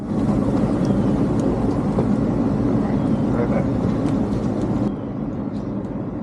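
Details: 37-year-old Rheem AC condenser, previously not cooling and barely blowing air, started after fitting the fan blade and a new contactor and capacitors: steady low hum, even fan whoosh, no rattles or chatter; runs smoothly.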